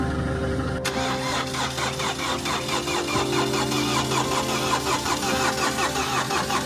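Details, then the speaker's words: Mini Countryman after timing chain replacement (engine had been out of time from broken chain guide), cranked with no fuel: steady cranking about 2.5 beats per second, no chain snap or valve-to-piston clatter; turns over cleanly, won't fire. "look first have to crank it because obviously there's no fuel in there but the question is is it going to crank correctly are we going to hear the chain snap are we going to hear the vales kiss the Pistons none of the above"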